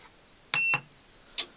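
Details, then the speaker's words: Fossibot F3600 solar power station syncing with the house inverter gives one sharp high beep of about a quarter second, then a short chirp; sync worked on the retry and the beep marks a small overload. "synchronisation le Bou ça a fonctionner ça a fait une petite surcharge il est allumé maintenant"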